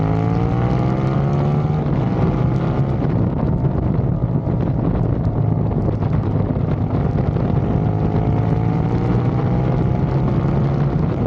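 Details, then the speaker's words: Ducati 848 after shop replaced throttle position sensor for misfiring and power loss, test ride: strong, even engine note rising and falling through gears over heavy wind noise, no stumbles or misfires; normal running, fault fixed. "Okay, so as you've seen from the video, it's running sound as good as it ever did."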